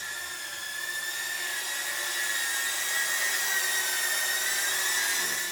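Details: Ducted cinewhoop drone hovering with five-bladed props instead of three-bladed: smooth steady high buzz, softer and less piercing pitch, holding even; normal prop noise.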